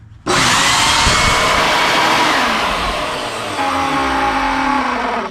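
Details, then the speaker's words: Shop vac that would not run: steady, even high-pitched motor roar and smooth airflow with no stutter or grinding; owner thinks dirt in the switch was the problem; normal run. "and it sounds like she's running just fine to one I would say so I think our problem was just some dirt and grind got in that switch there"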